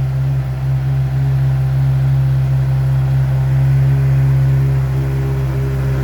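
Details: Heavy motorcycle after repairing, polishing and repainting its exhaust and reinstalling it: deep, even low rumble with no ticks, rattles or leaks; exhaust sound test healthy.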